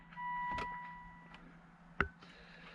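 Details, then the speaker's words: 2003 Volvo XC90 six-disc CD changer head unit showing "DECK ERROR", after battery disconnect and reconnect: quiet motor whirr then clicks and clunks as the mechanism hunts for a disc but never loads it. "I could hear hear the some movement when it try to swap discs over"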